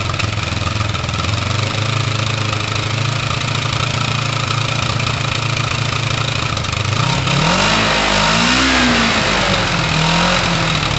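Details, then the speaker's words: Kawasaki ER5 twin after restoration work, first start-up and idle before carb fine-tuning (carbs roughly in tune): it idles fairly steadily, then revs intermittently dip, sag and hunt as if about to stall; intermittent idle stumble. "there's like a stall in the engine um look at that it's like a real big a real weird stall in the engine"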